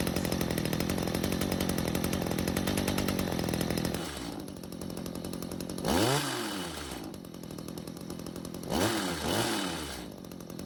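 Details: Stihl two-stroke hedge trimmer stored with old fuel, after L screw turned out another quarter turn (half total) and idle speed raised; steady high buzz holds without dying, two clean throttle blips rise and fall smoothly.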